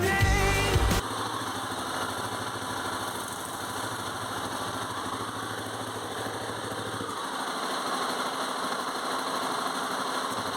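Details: 2002 Honda Tornado 250 single-cylinder after replacing a collapsed cam chain tensioner that wasn't tensioning the timing chain. Steady, even idle with no rattle or chain slap; the engine noise is gone.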